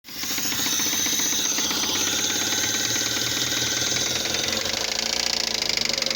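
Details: 2005 Fiat Palio Fire 1.0 8v, after a timing belt, tensioner, oil and spark plug change: a sharp, quick metallic knocking keeps time with the running engine, like rod knock. A spark plug electrode fell into the cylinder head.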